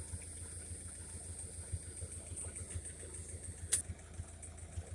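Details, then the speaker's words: 1956 Ferguson TO35 tractor after draining water-contaminated gas from tank, sediment bowl and float bowl: steady low thumping idle about three and a half beats a second, no stumbling; idling smoothly. "So that thing's idling good and running halfway decent."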